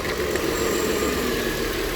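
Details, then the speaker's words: 2013 Ford Explorer petrol V6 idling after a new bank 2 catalytic converter was installed: smooth and quiet, with no ticking or puffing. There are no exhaust leaks and it sounds healthy. "now we're ready to fire it up make sure there's no exhaust leaks and here we go sounds nice and quiet sounds healthy won't hear nor exhaust leaks"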